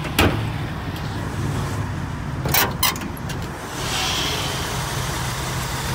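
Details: 1964 Buick Riviera V8 on a cold start, not warmed up: steady low rumble with a clean, even beat and no squeaks or ticks, apart from a few handling knocks.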